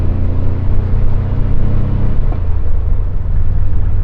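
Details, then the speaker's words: 1979 VW Super Beetle with original fuel injection, after fuel injection repair, on test drive: deep even rumble under load, clean rev drop at gearshifts, no knocks; running good, sounds healthy, shifts fine. "running good sounds healthy shifts fine"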